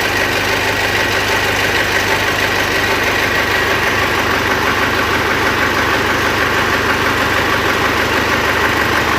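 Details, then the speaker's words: Mitsubishi L200 Triton 3.2 diesel at idle, heard from a distance with a hand cupped to the ear: firm, steady knock about three times a second through the clatter, a worn cylinder with piston skirt slap; timing chain noise also suspected. "dessa forma, eu vi que ela tá batendo saia. Tem algum cilindro dela aqui que gastou e tá batendo saia. De longe, fazendo um cone, a gente percebe que o batido está acentuado, está vindo lá do pistão."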